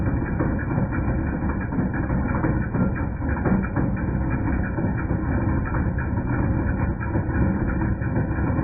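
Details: 2010 Jeep Patriot Sport 2.0 at steady idle: loose metallic clatter irregularly about once a second; persisted after new power steering pump, pulleys, tensioner and belt; failing alternator, replacement stopped noise.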